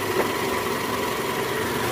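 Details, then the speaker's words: 2008 Toyota Camry 2.4 V, 2AZ-FE engine, after new belt tensioner installed, in reverse at about 1200 rpm: even steady engine hum with no growl; normal running. "Oke Guys bunyinya udah hilang nih udah nggak ada bunyi bunyi ngoroknya udah nggak ada nih posisi R di gas kisaran RPM 1200 bunyi udah hilang"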